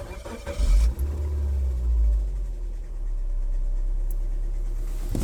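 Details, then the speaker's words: 2005 Suzuki Swift petrol engine started with accessory belt slackened off the water pump, suspected water pump bearing; smooth low idle with no whine or rattle, so the noise is the water pump bearing, not the belt. "so there's no noise there's no noise get the water put back that's how you determine guys the water pump uh bearing gun okay it's not the Bel it's the water pump making the noise"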